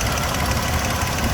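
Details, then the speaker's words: 2007 Toyota FJ Cruiser, 345,000 miles, idling: steady even rumble, no vibration, lifters and top end quiet with no ticking; normal healthy idle. "this engine has no vibration at idle none wow that's Rock Solid absolutely Rock Solid no adverse noise sounds like a brand new engine as far as I'm concerned"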